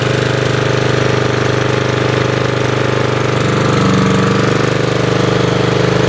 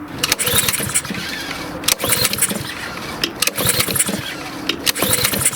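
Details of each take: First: Lawnmower's small single-cylinder engine holding a steady, even putter with a firm rapid beat and no misses or surging, running as it should. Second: Lawnmower that won't start: repeated pull-starts with rope rattle and brief coughs roughly every second and a half, but the engine never catches and runs; cause of the no-start not confirmed.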